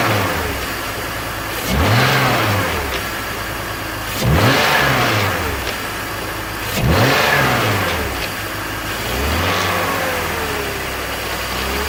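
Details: BMW E46 330Ci M54 inline-six after VANOS rebuild (only rubber and teflon piston seal rings replaced), rattle worse than before; slow rev swells every two and a half seconds with metallic rattle on each rev, source unconfirmed.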